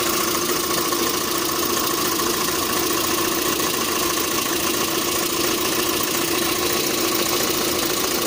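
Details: 1.6 8-valve engine at idle: steady idle with a faint, uneven tapping buried in the engine noise, sometimes also on adding throttle and at start; knock present, source unclear.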